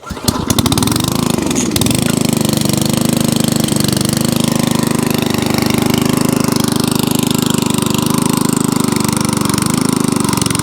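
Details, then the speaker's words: MTD T380 rear-tine tiller, 5.5 hp single-cylinder, fully serviced and starting on full choke, catches after a few pulls and settles into a steady idle but won't turn off; cause not yet found. "here's the mtd all been fully serviced all fully running but it won't turn off or it didn't so let's just fire it up i'll show you what i mean"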